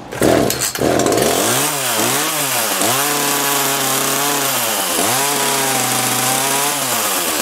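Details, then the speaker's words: Echo CS-330T top-handle two-stroke chainsaw that hadn't run in years and was hard to start: rough, surging buzz that sags and picks back up. It sounds starved at high speed. Suggested fixes are turning out the high-speed adjustment and a carb kit; the fuel pump diaphragm is likely hardened. "turn that high speed adjustment out a little sounds like it's starving at a high speed probably needs a carb"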